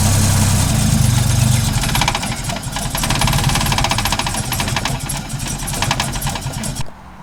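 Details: Holden VL after distributor rebuild, timing set at TDC with timing light attached: uneven stumbling chatter about four beats a second, lumpy and unsteady, then engine dies; rough running, distributor setup suspected, not confirmed.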